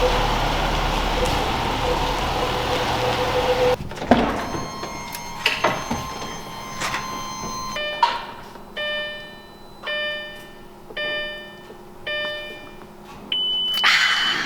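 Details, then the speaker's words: Lamborghini Gallardo E-gear, bought with 8% clutch life, about 1,400 miles since; engine off, bright electronic chime repeats about once a second with E-gear transmission light; earlier coolant light and clutch won't engage past second gear; fault unconfirmed. "That's the lovely noise of the E-gear transmission light. Is it the E-gear? Oh my God. Yeah. The gauge cluster is freaking out."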